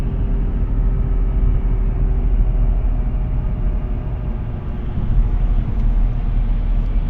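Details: Audi A4 B8 Avant: deep steady droning rumble under road noise while driving, no knocks or squeal; worn wheel bearing, replaced with FAG wheel bearing repair set.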